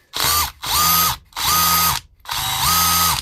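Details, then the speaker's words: DeWalt DCH273 SDS rotary hammer after service and reassembly, tested in chisel mode: four short trigger bursts of motor whine with a fast, even rattle of blows; normal hammer action. "hear hammering. That's hammering in chisel mode. So if it's hammering in chisel mode, it'll be hammering in drill mode."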